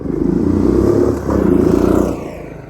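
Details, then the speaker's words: 1997 Suzuki Savage 650 single, 2,000 miles, parked nearly 20 years, after a full carburetor clean and a new battery: steady, even thumps that ease off as revs drop, with no misfire or clatter; runs normally. "it runs amazing this bike has 2,000 miles and it runs like it it runs like it has 2,000 miles"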